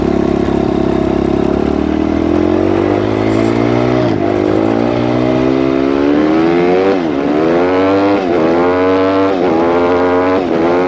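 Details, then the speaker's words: Suzuki RMZ 250 previously wouldn't start; after re-timing the cams, revs climb and fall cleanly with each blip, no knock or misfire; normal running. "Well, there you go. Bike runs, does what it's supposed to do."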